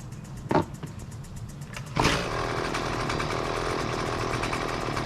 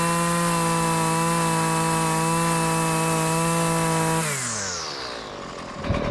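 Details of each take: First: Husqvarna two-stroke weed wacker, about 20cc, gas-oil mix: a couple of sharp pulls, then it catches and runs rough and uneven, stalling at idle or on quick throttle; lean low-speed mixture, needs the low-speed screw opened. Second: Husqvarna two-stroke gas weed trimmer, about 20cc, gas-oil mix, after adjusting idle, low- and high-speed carburetor screws to fix stalling at idle: holds a strong steady high rev, winds down smoothly and keeps running; well tuned.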